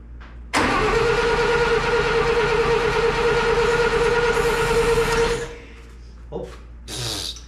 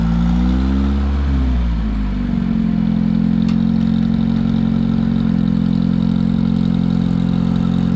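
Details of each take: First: Satoh S-550G tractor, 4-cylinder gas engine: starter whirs about five seconds with even compression beats but never catches. Owner says it is getting fuel but suspects no spark (dirty connections or points); choke cable not reconnected. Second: Long-forgotten Satoh S-550G tractor with a 4-cylinder gas engine, just restarted after briefly smoking. It has a homemade leather accelerator pump. A short rev settles into a steady, even idle with no knocks or misses, so it is running cleanly.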